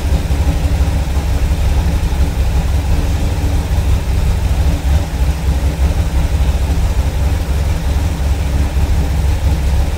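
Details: Petrol car engine idling from cold after vacuum leaks were fixed: steady, deep, even rumble with no misses or hisses, a normal cold idle.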